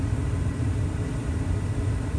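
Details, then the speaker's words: Carrier 58CVA110-20 natural-gas furnace after an inducer motor rebuild (HC21ZE127 / Jakel J238-150-15217 motor, new wheel, gasket, grommets, shaft seal): smooth, steady low hum while waiting for second speed; the earlier loud whine is gone, so the inducer runs normally. "should be turning up to second speed here soon sounds great no more whining"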